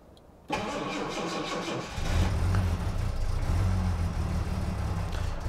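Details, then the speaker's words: Carbureted Jaguar XJ6 with AED cold-start device, cold start after sitting with the battery just reconnected: cranks, catches and settles to a slightly lumpy idle of about 900 rpm, possibly a little lean just after start. "all right and here it started up it is possibly a little bit a little bit lean right there all right it's running about 900 rpms now"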